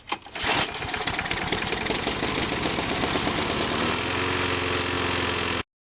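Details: Revived lawnmower after new spark plug, air filter, fresh oil and gasoline, first start: catches on first pull and settles into even, steady run with no misses or knocks; running healthy.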